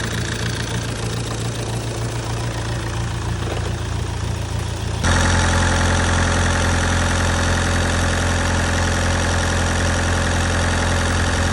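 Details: Astra H van, Z19DTH 1.9 diesel (converted from 1.7), after top-end damage repair: steady, even diesel clatter at idle with firm low rumble smoothing after a step up; sounds healthy.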